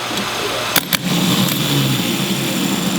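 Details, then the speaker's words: MG with M418G starter motor: two sharp solenoid clicks, Bendix snaps out, then a low sluggish whir that never gains speed; slow cranking, starter lead hot, fault suspected in the solenoid or starter motor, not confirmed. "slow nice and fast fast you can hear you can hear it it's not not making a good noise you can see that Bendix snap out and then start to turn that time is slow slow there's something wrong with the starter"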